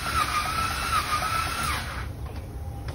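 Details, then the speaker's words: 2010 Buick 3.0 L V6 with a no-start condition, compression test while cranking: a fast, uneven cranking beat builds briefly then stays weak; this cylinder likely has only a little compression, suspected from a bent valve after jumped timing. "this one most likely has a little bit of compression"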